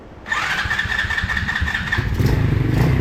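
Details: $40 125cc ATV quad, choke closed: a whirring starter, then the engine catches roughly on starting fluid with uneven popping; weak spark from a spark plug cap not pushed fully on.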